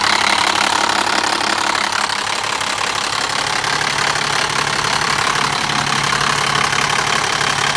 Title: m57 e60 timing chain noise